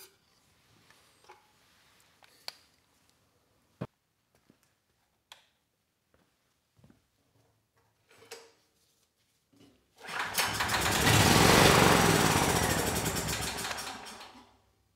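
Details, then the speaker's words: Honeywell 7500E generator sold for parts: about four seconds of steady, even running on starting fluid before it dies; engine sounds good and generator makes power, but carb and fuel system need cleaning. "very nice the engine it sounds good and the generator is making power so I think this one might be an easy fix"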